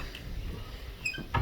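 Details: Interior door that has squeaked for years, swung back and forth: a brief high thin squeak, then a soft thud; a dry hinge being worked with sprayed silicone lubricant, though some hinges still squeak.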